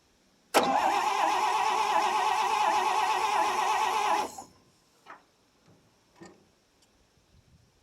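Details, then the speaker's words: 1957 International S120 4x4 pickup, about 52,000 miles, sat about 4 years, battery and gas added, breaker points cleaned: the starter spins the engine evenly for about four seconds, near 220 beats a minute, and it never fires; cranks with no spark. "no juicer yet crank over and see I got can I manage that from here oh maybe no no spark"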